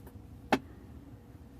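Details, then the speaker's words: 2008 Audi A6 under-dash HVAC: during basic-settings flap adaptation with ignition on, a sharp single knock about every 1.3 seconds from a sticking temperature flap slapping back; motor or flap possibly physically faulty. "I don't know if you can hear all the motors moving and we can hear that one already making that noise still flopping in"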